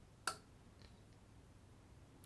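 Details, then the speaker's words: Topward bench power supply, restored after storage and run with no load: one crisp relay click in a quiet room as the current is turned to zero and the voltage drops to zero; output cut-off working normally. "You might be able to hear there's a a relay clicking in the background. And the other one works as well. If I turn the current to zero, you can hear a relay click and the voltage goes to zero."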